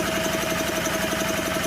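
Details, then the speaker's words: 1984 Honda EM600 generator being revived: the small engine putters at a low, lazy speed with an even beat. The speed adjustment may be set far too slow, so output is only 41 AC volts, about 100 volts short. "I might have it way too slow but she's a quiet little thing in that yeah I back that thing way off 41 volts is what we're doing"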